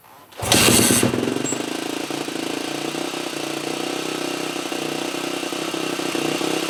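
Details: 2003 Yamaha YZ450F that previously started only with starting fluid, after carb rework with accelerator pump squirter working and choke zip-tied: sharp burst as it fires on the kick, then steady even idle about four beats a second; normal start.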